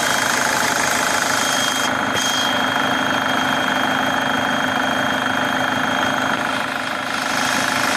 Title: Свист турбины